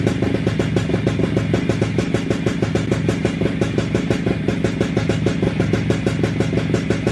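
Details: WSK 125 two-stroke motorcycle at its first start after an engine rebuild: crisp, even popping at a steady idle with no knocks or rattles; sounds healthy.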